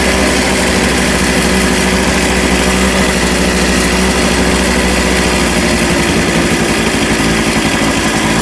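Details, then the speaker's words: 1988 Honda Vision Met-in 50cc scooter, carb just cleaned, kick-started: small engine buzzing fast and busy at rest, held well above normal tickover; idle set too high before adjustment. "oh it's running okay it's quite a high idle let me see if I can adjust it one sec"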